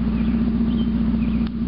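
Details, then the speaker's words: 1991 Mazda Miata 1.6 litre, catalytic converter removed, running straight pipe: loud raspy exhaust with a steady low booming drone as it revs; deeper and throatier than before, revs quicker and runs smoother without the converter's back pressure. "But you remove all that back pressure from that catalytic converter and it's bound to help a little bit. little bit of a deeper, throatier sound than I remember the other one having."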